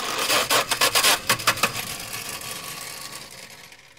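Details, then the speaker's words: 1970 Dodge Dart slant six, starter jumped directly: harsh metallic grinding bursts about four a second that fade out, starter not meshing cleanly; owner suspects broken flywheel teeth, not confirmed; car was also found not in park. "Sounds like teeth are broken up on that flywheel."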